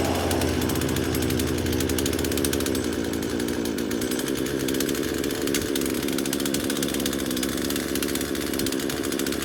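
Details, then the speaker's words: Craftsman chainsaw first start after about five years sitting in a shed: steady high buzz with a dip in low-end rumble; stays lit but sounds fuel-starved, only runs with the choke on, primer bulb has fuel. "we got a little farther that time with it okay so it only wants to run with the choke on"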